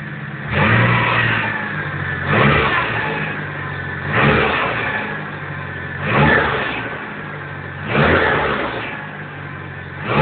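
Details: Nissan 180SX SR20DET, repeated quick revs: each burst brings a harsh engine rattle. A dented sump restricts oil flow to the pickup, starving the engine of oil.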